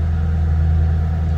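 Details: 2007 Ford Mustang Shelby GT coupe with 5,228 original miles, shortly after start-up. Deep, even V8 burble at idle with steady pitch and no knocks or ticks; smooth, healthy normal idle.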